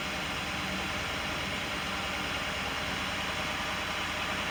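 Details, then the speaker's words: 2018 Ford F150 XLT 5.0 after no-start fixed by replacing fuel pump: starts well, steady even hiss-heavy running with a little gas, no misses, stumbles or knocks; normal idle. "starting good now [Applause] i can take this down in there and give it a little gas [Applause] [Music] sounds good"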